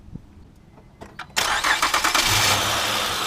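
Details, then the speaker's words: 2008 Honda Odyssey 3.5L with the serpentine belt removed, running on the timing belt only: a short crank, then it catches and settles to a steady idle with no squeal. This confirms a bad idler or tensioner bearing. "Alright, see, without the serpentine belt, that means is something wrong with the idler or the tensioner bearing."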